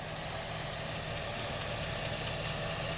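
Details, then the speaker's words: 1999-2007 Chevy Silverado GMT800 Vortec V8 after replacing an O2 sensor and checking its wiring: even, steady idle, smooth low rumble, no stumbles or dropouts; the bank that was dropping out now runs normally. "It's running really nice now that we got that O2 sensor swapped out."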